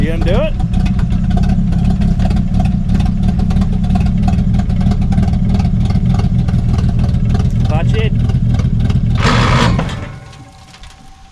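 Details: Abandoned Dodge D5N farm truck, sitting over 25 years: old petrol engine idles with a slightly uneven low chug about ten seconds, then cuts out; runs after long storage, fault unclear.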